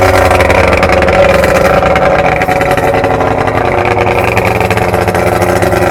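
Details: 1993 Evinrude 70 HP outboard, first start after a full powerhead rebuild (0.030 over piston in #3, new crank, gaskets, seals, impeller), water on: smooth, steady two-stroke buzz with no misses, knocks or rattles; normal running.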